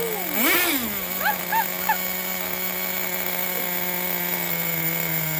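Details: 2006 Traxxas Nitro 4-Tec 3.3 (model 4809), rebuilt TRX 3.3 engine just started and idling, still needing tuning: steady high-pitched buzz after a brief rev, even unbroken note; running well.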